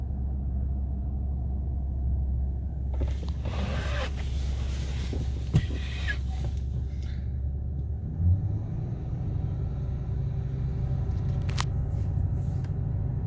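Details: Ford 6.8L V10 during a power balance test: deep rumble with an uneven beat that changes as cylinders are cut in turn; one cylinder is misfiring.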